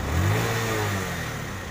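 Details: TVS Star City 110 cc motorcycle after repair for exhaust popping and misfire on throttle release: small single revs up and falls back cleanly with no pops or bangs; normal revving.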